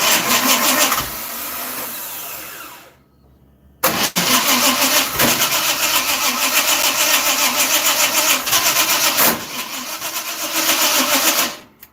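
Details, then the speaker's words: Dirt track race car V8 with oil pressure problems, distributor timing adjusted, fuel reaching it: steady starter cranking with pauses between tries, never catching; cranks but won't start, starter button maybe not pressed fully. "Your starter's not working right. I think it might be because he's not pressing the button all the way."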